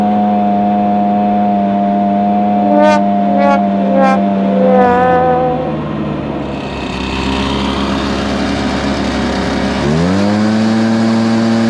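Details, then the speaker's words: Stihl BR430 two-stroke blower after carburetor work and reassembly, started on choke. Its steady drone sags mid-run and doesn't fully recover, bogging at high speed. Lowering the high-side adjustment screw starved it, and raising it helped but not enough, with the limiter caps restricting adjustment. "something's going on with the adjustment screw on the high side if you can tell man when I was manipulating that when I lowered it down it was kind of starving and then when I increased it up it was better but it wasn't enough"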